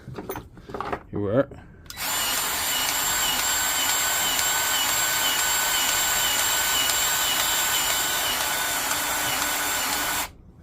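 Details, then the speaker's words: Milwaukee M18 cordless grease gun after repair, new part fitted between gearbox and motor: smooth, steady motor whir while pumping grease, the earlier screeching noise gone. Normal running. "see it's pumping out the GRE and that screeching noise is vanished"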